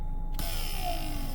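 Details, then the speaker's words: Mercedes W124 central locking vacuum pump, newly fitted, tested by button press: a sudden steady electric buzz with a clear mid-pitched hum holds evenly; pump runs, but doors don't lock due to poorly fitted vacuum lines. "If I press this button, I would expect to hear the pump buzzing."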